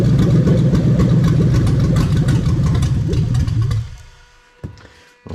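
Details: 1998-2000 Lexus LS400 1UZ-FE VVT-i V8 on a standalone harness, warmed up, running with the fuel pump off: strong, steady even running for about four seconds, then it cuts and only faint ticks remain; healthy.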